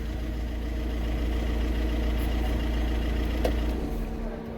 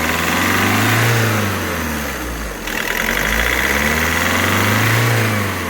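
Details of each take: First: VW Vento turbo diesel after injector knock fix: steady, even idle with low hum, no knocking; the earlier tractor-like rattle, worst with AC on, is gone. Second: VW Vento turbo diesel with injector knocking, during injector knock-reset procedure (code 27971) at idle: light rapid tick-tick under the engine note with gentle rpm rises and falls; ticking is expected to disappear once the process finishes.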